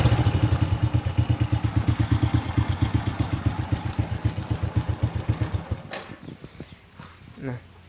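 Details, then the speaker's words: Honda Supra motorcycle used for courier work, run three days on Mesran Diesel B40 oil mixed with cooking oil: steady idle with a harsh, dry ticking of about three beats a second from the camshaft area. Rough engine; cooking oil suspected. "Memang kalau saya hidupkan motor ini setelah 3 hari pemakaian minyak goreng ya, setelah 3 hari pemakaian minyak goreng, itu memang suara motornya kasar teman-teman. Suara motornya kasar, terutama di bagian sini, di bagian apa namanya, noken."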